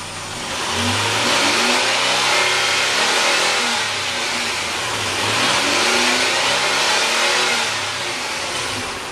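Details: 2004 Nissan Xterra, naturally aspirated, with a newly installed Volant cold air intake: engine revs up and down twice with a loud intake roar and hiss; runs strong and even, nothing amiss.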